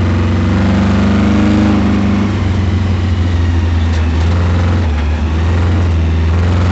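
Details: Camaro V8 at full throttle during an autocross lap, loud drone with a rough, uneven beat under load; first taken for a miss, it turned out to be a spun bearing.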